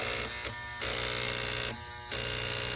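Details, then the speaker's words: Lionel O-27 Alco PA toy locomotive horn on battery: thin steady electrical buzz that stops and restarts with no horn sound; horn relay chattering, no power reaching the speaker, owner suspects relay points need filing. "That's just the relay buzzing. So we got to figure out why we ain't getting no juice going to the honk honk."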